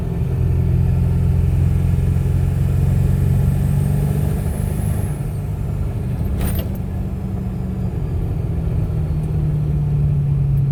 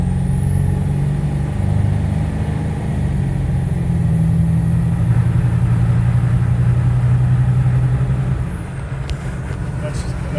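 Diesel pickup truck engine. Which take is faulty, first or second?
first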